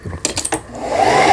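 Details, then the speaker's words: Toyota EC 164K household sewing machine, about 15 years old, sent in for repair (wouldn't move or feed fabric); bobbin winder was winding low because a part had sunk, raised back up; steady even motor whir, bobbin now winding evenly and normally. "위에 부분으로 이제 고르게 감기는 걸 보실 수가 있습니다"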